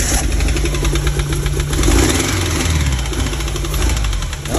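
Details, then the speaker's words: 1987 VW Vanagon Syncro Westfalia, parked since 2001, reinstalled engine running after swapping the airflow meter: rough wavering note that sags and won't pick up cleanly; still hesitating badly, cause unknown. "still hesitating. Big time. But it's running."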